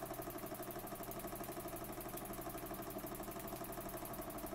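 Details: Burnac Vulcan model steam engine running under steam, with a seal needing replacement: quiet, even chuffing at about three beats a second, steady and regular with no knocks, running sweetly.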